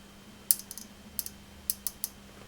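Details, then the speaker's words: Marshall JTM100 Super PA valve amp with burning resistor and hum issues, voltage raised past half input: sharp, irregular crackling ticks about three a second over faint mains hum, increasing with voltage; suspected arcing inside an electrolytic capacitor. "so let's just bring the voltage up a little bit more that ticking is increasing which makes me think it is some kind of arcing"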